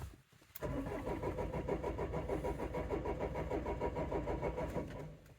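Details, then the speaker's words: 2004 Renault Trafic 1.9 dCi diesel, crank-no-start fault (code DF195): the starter turns it over at a steady, slightly sluggish rhythm on a battery that sounds a little weak, for about five seconds, but it never fires. "yeah oh okay so we're definitely cranking and not starting there"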